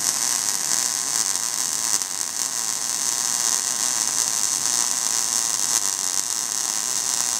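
A steady, even crackle like frying bacon, with no popping or sputter; the wire feed and voltage are set right.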